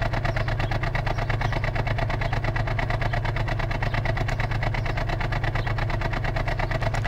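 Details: 2004 Ford XR6 Falcon petrol six at 101,xxx km idling cold with a lumpy stumble about twice a second; the misfire occurs only on overnight cold start for 30–60 seconds despite new gaskets, coils, plugs and fuel filter, with compression tested.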